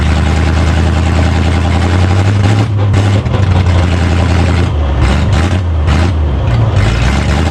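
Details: 1965 Chevy C-10 pickup, freshly revived after about 25 years sitting: a deep, even rumble holds steady with no misses or knocks. The old inline six is running smoothly.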